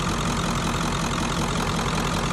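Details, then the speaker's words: 1994.5–97 Ford 7.3 Powerstroke, 300k+ miles, after IPR valve replacement: dense, even diesel clatter at idle, steady rhythm, no hunting or stumbling; runs clean, though a leak remains. "yes it sounds way better now"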